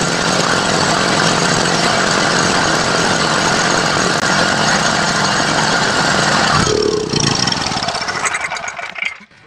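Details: 7.5 gen set petrol generator that would start then die, after cleaning the carburetor and checking the air filter: runs loud and steady with an even beat, then winds down and stops.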